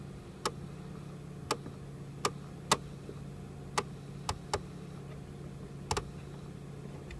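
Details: 2001 Mercedes ML320 climate control, dial set to cold (blue), heard behind the dash with glove box removed: sharp irregular clicks about once a second over a low steady fan hum; clicking noise in climate control.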